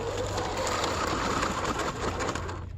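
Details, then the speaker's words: RC crawler towing a trailer up the hardest climb: high, buzzing whir under load with rough ratcheting edge that drops off; slipper clutch slipping. "Well, that kind of answers that question. You can hear that slipper just sounding gross."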